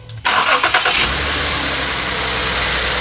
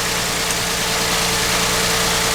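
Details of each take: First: 2009 Ford Edge 3.5L V6 restarted after replacing cylinder 6 spark plug for a P0306 misfire: cranks and catches quickly, then settles into an even, steady idle with no stumble; misfire gone. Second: 2009 Ford Edge 3.5L V6 with P0306 cylinder 6 misfire, idling with coil connectors being unplugged: loud uneven stumbling idle under hiss; misfire at idle.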